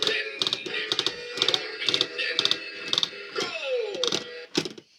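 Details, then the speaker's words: Rocky the singing lobster toy (Swedish version) after repairs: sharp plastic clicks about twice a second while the motor runs, a broken, poorly made crown gear skipping teeth in the gearbox; the tail doesn't work. "And the uh his gears are poorly made and his gears split very easily. As you can hear by the clicking of the crown gear inside."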